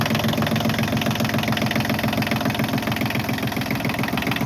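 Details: Massey Ferguson 1220 compact tractor diesel, running after an oil change (about 3.5 quarts): a steady, even clatter of about three and a half beats a second with no misses. Sounds better; normal idle.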